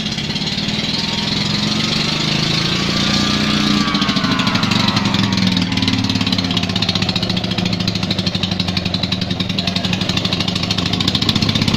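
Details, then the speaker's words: Invacar engine running after 14 years abandoned, a bit of fuel now drawn in despite a possible pipe blockage or sender problem: rough, uneven rapid popping, smoky exhaust, oil burning off the engine; revived but rough. "Is that my breath or is that me choking on fumes? Oh, look at that, we got oil burning off here, burning off there."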